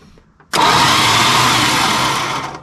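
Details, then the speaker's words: 1973 Dodge Dart Swinger, 225 slant six freed after 29 years locked, cranked with spark plugs out, no spark, fuel line disconnected: about two seconds of harsh, raspy, even grinding whine, no firing; engine turns but the starter sounds terrible. "huh okay well the starter sounds terrible in true chrysler fashion"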